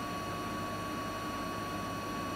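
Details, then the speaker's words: Siemens iQ300 8 kg washing machine spinning at about 1000 rpm: even steady whine and smooth rush, no knocking or helicopter-like rumble; normal spin cycle, no fault. "Makinemiz şu an ortalama 1000 devirde sıkma yapıyor arkadaşlar."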